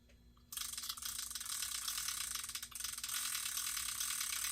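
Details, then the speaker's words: Vintage Pflueger Rocket 1355 "Knuckle Buster" reel, barely turned before repair, after cleaning and reassembly: light, fast, even gear clicking as cranked by hand, no grinding or catching; smooth reel rotation. "smoother than it was when I took it apart, folks."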